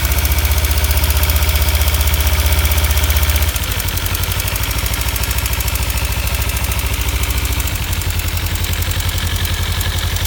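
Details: 2015 Kawasaki Ninja 300, warm idle after short riding: fast, even tick about two per second, idle dipping slightly partway; started a month or two ago, owner suspects cam chain tensioner or loose exhaust header bolts, unconfirmed.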